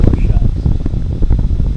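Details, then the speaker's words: Rock's Bar-B-Que Stoker BBQ blower fan, a replacement after the previous fan failed, running with a new power supply at about 62 degrees while its damper door cycles. Low steady hum and soft airy whir with no rattle or scraping. Normal blower operation. "So, the fan does work."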